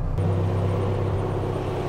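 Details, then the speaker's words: Toyota AE86 with KA24 engine swap: a low, steady idle hum with no stumbles. The engine idles cleanly with no misfire, while the alternator is not yet charging (about 10.5 volts). "If you hear, it's a lot better sounding, no misfiring."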